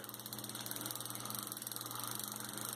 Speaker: a lot of these old reels that did not have infinite anti reverse they used a pall on a gear and you hear it click